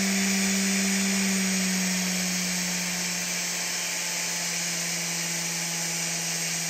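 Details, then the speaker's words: Big scrapyard brushless DC motor driven through a 30 A drone ESC by a servo controller: clean steady whine dropping slightly in pitch partway, no scraping or rattle; the motor runs evenly. "alright so here's the servo controller going through the SC into the motor"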